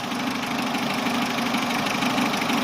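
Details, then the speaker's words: Chevrolet Aveo after sealing a leaking pipe with epoxy for code P0507 (idle swinging high): idle about 800 rpm, steady and even with no stumble or hunting, and the engine warning light is gone; normal idle. "โยน800บาทนะครับอันนี้ถือว่าเป็นปกตินะครับของรถ"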